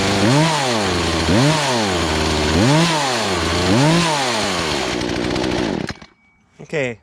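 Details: Poulan Pro two-stroke chainsaw that never ran right and sat unused about three years; high-speed carb screw being turned counter-clockwise as it seemed starved; revs rise and fall, hanging briefly before climbing, bogging on throttle, suggesting lean mixture.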